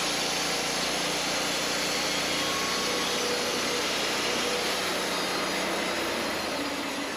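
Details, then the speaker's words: Wood-Mizer LT40 Wide sawmill cutting an old dry spalted maple log after drive belt tensioning; steady harsh grinder-like hiss-whine through the cut as the very dry wood heats the band; normal grinding whine from dry wood. "you can hear it kind of wind a bit there it's almost like a grinder sound that's because this wood is just that dry"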